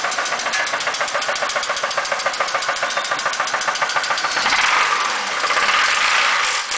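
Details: Chevy Impala 3.4 V6 at idle: loud, sharp knock hammering about three to four times a second; worn rod bearing, rod knock.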